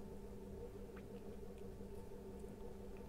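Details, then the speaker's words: Atomberg Renesa Plus 1400mm BLDC ceiling fan, which kept restarting and vibrated, after circuit board replacement, speed 2: quiet constant low hum, no wobble, surging or cut-outs; runs smoothly, normal. "की motor में कोई भी बेसन भी नहीं है और motor बिलकुल स्मूद उम्र है पर बंद नहीं हो रहा है"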